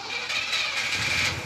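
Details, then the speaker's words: Car engine starting after a long battle with the starter: a short crank, then it catches and runs to a steady, clean idle with no knocking or smoking. "yes boom let's go oh I'm kidding we got a lot of work to do this sounds great it's not knocking it's not smoking"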